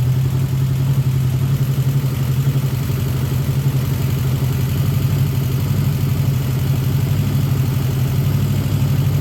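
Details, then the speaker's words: 1979 Honda GL1000 Goldwing revived after carb rebuild, idle turned down, slightly smoky: low uneven idle pulsing irregularly about four times a second, never settling; still rough, cause not confirmed. "a little bit Smoky and when I've read it it's uh I definitely got my work put out for me"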